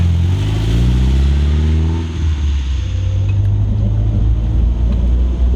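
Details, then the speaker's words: Mitsubishi Eclipse GS-T 4G63 after head gasket replacement (blown from overheating) and brake booster vacuum leak reconnected: steady, even idle with deep rumble and only faint light tick, ticking improved; normal idle. "Replaced the head gasket without screwing up on an engine I've never worked on. That's awesome. It also sounds like the ticking's better."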